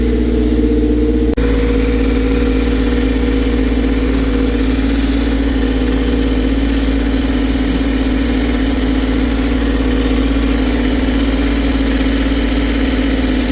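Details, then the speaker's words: Toyota MR2 Spyder after fixing a leak between the OEM manifold and a catted test pipe with a Remflex gasket and nuts torqued to about 45: the engine starts to a steady, even idle. The earlier exhaust rasp is gone and no leak is found. "so and even the sound of the exhaust is different like there's no there was a SL slight rasp before now there's no rasp so I believe this is solve the problem"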